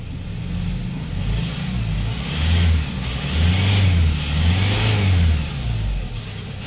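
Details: Hyundai Starex diesel, recently overhauled after overheating, after replacing the faulty number one, three and four injectors: starts and revs cleanly, a steady low rumble rising and falling with throttle and no knock; the injector knock is gone.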